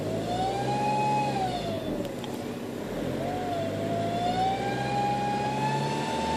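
A loud high whistle rises and falls with engine speed over the diesel clatter, a strong whine from the turbo area. Cause suspected, not confirmed.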